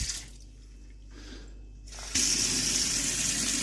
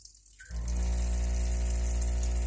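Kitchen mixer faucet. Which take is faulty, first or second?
second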